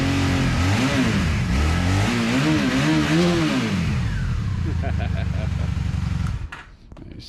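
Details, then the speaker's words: Cold revs on a vehicle with a fuel leak dripping while it runs and needs work. Engine blips up and down smoothly a few times, then drops back and cuts off; it pulls cleanly and sounds good. Normal revving. "sounds good. It's gonna need some work, but yeah, I clearly have got a fuel leakage problem."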